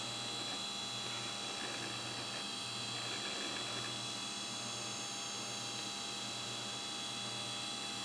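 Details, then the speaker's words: SHOUTcast server computer after power supply swapped for spare following storm outage: steady high whine and hum from loud hard drives, no clicks or grinding, supply fan barely audible; drives checked with no bad sectors, running normally. "but I could barely hear the fan in that power supply over these noisy drives"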